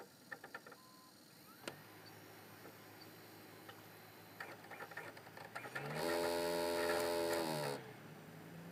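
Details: Xbox 360 Slim: scattered clicks, then a loud rough growling whir and grinding as the optical drive spins up for about two seconds.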